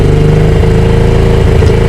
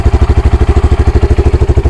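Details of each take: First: 2022 Honda Grom single-cylinder with engine light: fast, busy idle that sails away after a throttle blip and won't drop, missing audible, on road only revs to 6500 in every gear; high idle. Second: Honda Grom single-cylinder, after idle adjustment: crisp, even thump holding steady near 1500 rpm (about 1600 normal) without hunting or surging; normal idle.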